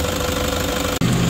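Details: 2016 Toyota Hiace 3.0 diesel at idle, engine first suspected after non-genuine oil: harsh rapid clacking at the front of the engine over the idle; belt removed, alternator pulley found with play and roughness, a seized alternator pulley.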